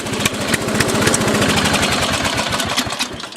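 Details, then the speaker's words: Single-cylinder offroad lawnmower engine chugging unevenly around 220 beats a minute, blowing black smoke with choke fully open; rich air-fuel mixture suspected, possibly carburetor adjustment or air filter, not confirmed. "said exhaust smoke acrylic black smoke means an Over lyric rich air fuel mixture verify that the choke is open fully the air filter is clean and that the carburetor is adjusted correctly"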